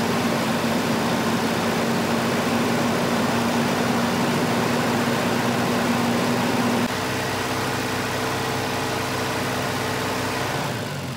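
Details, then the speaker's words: 1985 Volvo 240 (LH2.2), with the idle air control motor grounded via its blue/white wire and shown working: the idle holds a steady raised hum with no drop to normal, then steps to a new fixed pitch; high idle. "so it shows you that the motor is working but why am I getting a high idle"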